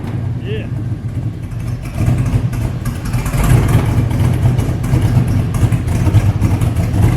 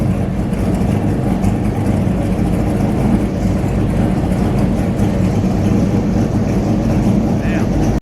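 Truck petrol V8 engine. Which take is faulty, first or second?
first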